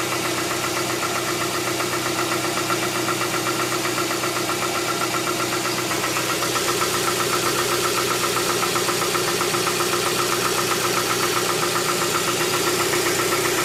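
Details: 2007 Tucson 2.0 16v GLS, cold-start morning noise that fades after about 10 km of driving: crisp, even ticking about four per second over the idle throughout; top-end tick, mechanic suspects lifters (tuchos), unconfirmed.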